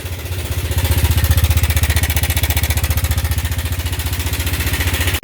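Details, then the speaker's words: Yamaha Nmax scooter at 79,000 km, idling on arrival with no engine warning light: loud, busy mechanical clatter about four beats a second; worn top and bottom end, rebuilt with a 60 oversize piston. "ก็รถคันนี้นะครับตอนมาเครื่องดังนะครับตอนนี้ก็79,000นะครับก็ฟิตท่อนล่างท่อนบนนะครับแต่ท่อนบนเป็นอัพไซต์นะครับเป็นลูก60นะครับ"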